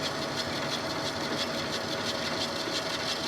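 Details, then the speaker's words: Lathe turning down the bearing journal of a GM 12-bolt axle shaft for C-clip eliminators with a freshly indexed carbide insert: steady, even cutting hiss with faint ticking of the turning shaft and no chattering squeal; smooth cut, chatter gone. "But I think we're at a pretty good speed for what we have here. That tool looks like it's doing better. Yeah, that's looking good. That's sounding good."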